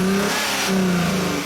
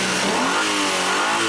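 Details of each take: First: 2004 Hyundai Sonata 2.7 L with code P0335, check engine light and power loss: as the engine revs up, the pitch sags briefly mid-rise before climbing again; a stumble under throttle matching glitches in the crank sensor signal. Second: 2004 Hyundai Sonata 2.7 litre, after crankshaft sensor replacement for code P0335 and hesitation/power loss: engine revs up and down smoothly with a clean, steady note, no stumble; normal idle and revving, fixed.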